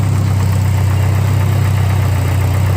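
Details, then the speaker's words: Car idling after antifreeze change and tightened alternator belt, previously squeaky: steady, even idle with smooth low hum and no belt chirp or squeal; normal healthy idle. "so let me start this [ __ ] up you can also hear no more squeaky Bell a prize is full no more squeaky Val listen"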